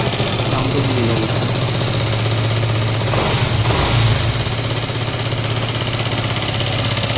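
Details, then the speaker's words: Yamaha MT15 returned to dealer after poor garage engine work, idling before teardown; uneven tapping about four per second over rough idle; engine sounds bad, cause not yet pinned down. "আপোনালোকে চাউণ্ডটো শুনা হ'ব। চাউণ্ডটো বহুতে বেয়া হৈ গৈছে।"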